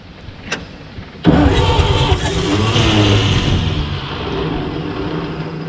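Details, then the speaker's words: 1944 Chevy Blitz WW2 army truck, sitting about 30 years: with choke on, spark and fuel pump good, the starter cranks, then the engine catches and runs rough and uneven a few seconds before fading. The crew blames contaminated old fuel. "fuel quality is definitely the issue everything else is good now our pump's working in our carbine it was firing probably"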